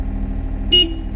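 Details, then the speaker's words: John Deere 27D mini excavator, after repairing the joystick wiring: one short, clean horn toot of about a sixth of a second over the steady diesel idle, sounded from the joystick button; horn now working. "All right. So, let's turn this on and test it out. Look at that. This is with the joystick and horn"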